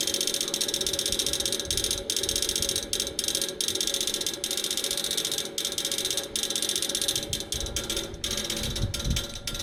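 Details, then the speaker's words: Outdoor AC unit, fan motor already replaced: fast, steady dry ratchet-like clicking from inside the unit while the fan is stopped, continuing until the fan starts, like trying to crank; undiagnosed. "this sound will continue until the fan comes on and it stops it's not coming from here it's coming from inside it's like it's trying to crank on something"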